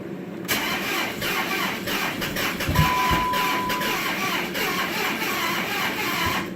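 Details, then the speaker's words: 2007 Dodge Charger R/T 5.7 cranking with throttle: steady starter churning with uneven sputters and a dull pop, backfiring through the intake. It cranks but won't start despite fuel and spark; owner suspects the crank sensor. "backfire out of the intake so I don't know all the electrical works"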